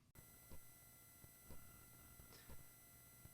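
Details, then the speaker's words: Pedal in off mode on a budget import power supply: faint steady high-pitched digital whine; fixed by powering it from its own One Spot supply. "I'm getting this like high-pitched digital whine right now. You hear that? It's not a lot, but it's there."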